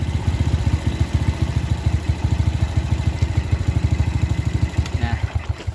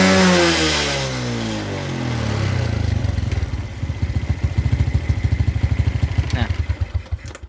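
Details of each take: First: Carbureted Suzuki Smash New single-cylinder motorcycle with very high fuel consumption, after adjusting the air screw and idle: steady, evenly spaced exhaust beats build gently with throttle, light and crisp with no misfire or stumble, so the mixture is now set right. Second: Suzuki Smash New carbureted motorcycle, very high fuel consumption, blackened spark plug, thick black smoke at full throttle; blips then drops to slow lumpy beat about three per second that sags, dull and soft; choke possibly stuck: rich mixture running.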